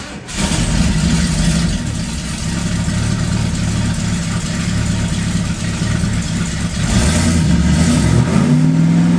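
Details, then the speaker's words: 1971 Ford Torino GT 429 Cobra Jet V8 starting and revving with a raw, rapid puffing crackle over the exhaust note from exhaust leaks. Runs well, no smoke, badly needs a new exhaust. "doesn't sound too good with the exhaust leaks but we'll start it up anyway"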